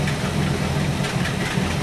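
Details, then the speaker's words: 1964 Buick Electra 225 401 Nailhead V8 with a rebuilt Carter AFB 4-barrel, idling at 500 rpm with dwell at about 30 as it should be: slow even low throb with no misses or knocks. A smooth, healthy idle for the moment. "She's idling at 500 RPM, which is good."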